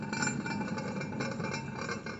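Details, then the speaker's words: Hand-spun front caster wheel of a Bad Boy mower after 415 hours: dry, gritty grinding hiss with faint clinks. The worn wheel bearing is about to go and is being replaced along with the others. "Hear that grinding? So these ones are about to go."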